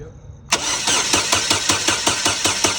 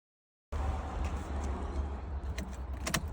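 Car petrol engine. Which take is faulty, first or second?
first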